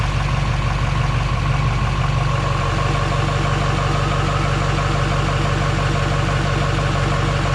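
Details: GM LMM Duramax diesel truck following engine replacement: steady, even idle with regular light clatter and no knocks or misses; running healthy.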